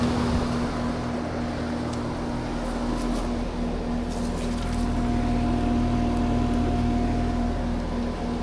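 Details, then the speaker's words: Outdoor AC condenser unit running in cooling mode during a maintenance visit, thermostat set to 70 with about 75 indoors, blower activated; steady low hum and even fan rush over light wind, runs smoothly and sounds normal. "Going to put the call for cool. Drop it down to 70. It's about 75 in here. Hear the blower activated."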